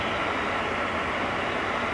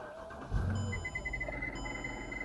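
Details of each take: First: 2008 Mercedes CLS 550 after AC blower motor replacement (under passenger-side glovebox), AC turned up: steady even air rush with no squeal; the old motor squealed constantly. Normal blower operation. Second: 2008 Mercedes CLS 550 idling: a thin, steady high squeal from the blower motor, passenger side below the glovebox. It rises and falls with AC fan speed and persisted after the motor was oiled once. Worn blower motor bearing.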